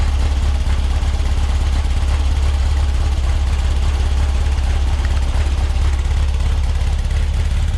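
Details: Almost 3-year-old NOCO GB40 lithium jump pack cranking a cold, shop-stored 21-window VW Bus with carburetors (cold-blooded in cold weather): low, sluggish, slow chugging about three beats a second, cranking weak but the engine fires up.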